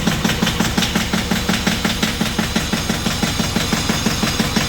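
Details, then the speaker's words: John Deere 650 small 4x4 diesel tractor, cold start after months stored over winter with glow plugs preheated: regular, even clatter at about three pulses a second, no misses or knocks, healthy idle. "So there we go. Don't know how much you can hear me. It started right up. It's just such a great tractor."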